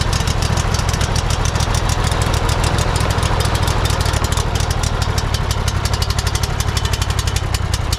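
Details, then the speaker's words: Cub Cadet GT1554 mower engine, sat years after rollover, first start attempt with throttle controlled: lumpy uneven chugging near 100 per minute then stalling, black and blue smoke; water contamination in carburetor suspected. "Did you turn it off? No. Interesting, huh? Uh, well, it ran."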